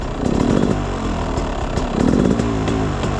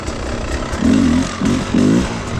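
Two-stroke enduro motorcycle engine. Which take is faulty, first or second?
first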